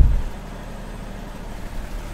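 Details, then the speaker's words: 10kVA diesel generator in cooldown after remote-start wire pulled: low, steady idle rumble with even beat and no knocks; normal cooldown run. "and the engine is in cooldown ok so just in case your power is back"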